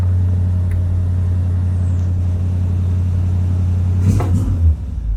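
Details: 1965 Chevrolet Impala convertible (SS clone) with new Chevrolet 350 crate V8 and Muncie 4-speed, cold start with choke set: deep, even V8 rumble on the choke, steady beat without misses, knocks or ticks; normal healthy cold-start idle.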